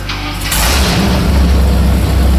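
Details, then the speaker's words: Rear-engine mini truck V8 after swapped plug wires 5 and 7 were corrected (wire 3 had burnt on the header). Starter catches and the engine fires into a strong, even, lumpy rumble with no miss. It sounds much better and runs normally. "Oh, that sounds much better. Oh, it sets off car alarms now. That's good."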